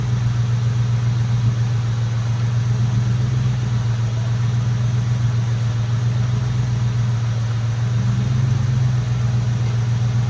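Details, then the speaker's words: Mustang GT at idle after the power steering air bubble was fixed and the heater core was bypassed: a smooth, even, low rumble with no whine on top; the pump noise is basically gone. Normal idle. "and so now you'll see when I started up the noise is basically gone"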